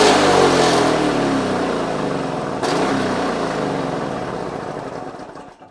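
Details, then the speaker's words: Vintage Victa Mustang two-stroke alloy mower after carb kit, new spark plug and cleaning: catches first pull, buzzes evenly with crisp regular beat; normal running. "As you've seen, all I've done is put my carby kit in, put a new spark plug in, we've just cleaned it, and it started first pull."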